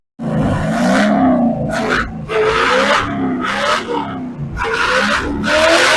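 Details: Chevy 283 small-block V8 in a Ford, long dormant, rusted and formerly stuck, with electronic ignition. Revved to free the rings, each throttle blip rises and falls back cleanly with no misses or knocks: normal running.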